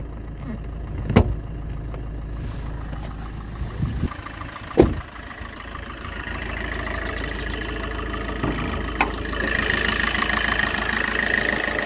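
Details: Used Suzuki Ertiga Diesel Hybrid, warm engine, hood open: steady even diesel idle with a few knocks from work around the bay; sounds healthy.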